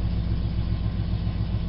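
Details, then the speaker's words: 2011 Silverado V8 about a month after long tube headers were fitted, with lean-running codes: an even, fast pulse and low rumble with no knocks or misses, holding a high idle while warming up; running normally. "But it seems like it's running pretty good. It's still doing a high idle, still trying to warm up."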